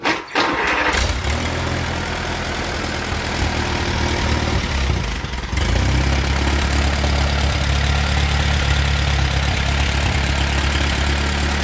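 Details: Allis Chalmers B tractor after repairs (carburetor shaft fixed, governor put back together, muffler fitted, radiator filled): cranks briefly, catches and settles into a steady, even low idle with no runaway surge; starts normally.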